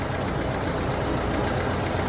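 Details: 1931 late Model A Ford coupe four-cylinder with a new Snyder 5.5 head, first run after a full engine teardown, still cool with the thermostat not yet open: steady, low, even idle with no knocks or misses; a healthy engine warming up.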